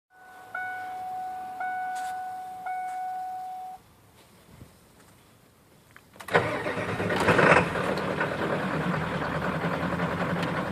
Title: 1996 7.3 rough idle and slow rpm gain